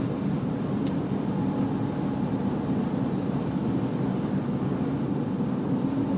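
Low, steady engine drone with a faint constant tone riding above it; a mild whine from somewhere in the engine bay, source unclear.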